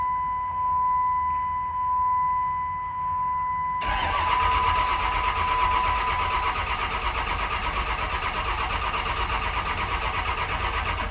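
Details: Cummins diesel single cab truck bought not running, after grid heater relay wires repaired and codes cleared: steady chime, then starter churns evenly about three turns a second without catching; no crankshaft position sensor signal, lift pump unplugged.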